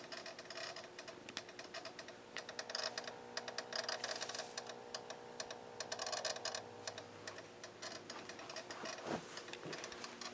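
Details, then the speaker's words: GRC-14 military receiver with the gain turned down, in FSK mode: sharp, irregular light clicks from inside, sometimes in quick runs, like a relay chattering; source not found; clicking inside the receiver. "well this is interesting I turned I turned the gain down and you can hear what sounds like a relay clicking in the unit"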